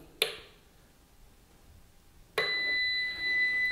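A single click, quiet, then a steady high-pitched beep starts and holds: the normal power-on tone of the UPS.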